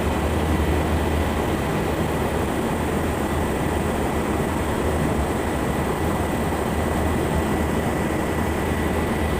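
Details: Armstrong VFD-driven pump motor run in hand mode at 100% speed (50 Hz): loud constant rushing hum with thin steady high whine, no rhythmic knock; abnormal motor running noise, bearing replacement discussed, cause unconfirmed.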